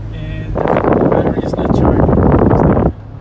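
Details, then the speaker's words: Toyota Prius with a bad HV battery, pedal floored on a slight incline, engine revs loud and strained with sluggish pickup at about 30 mph; limp mode from the failed hybrid battery. "pretty much the engine is raving so high yep 30 miles per hour pretty much this is limp mode"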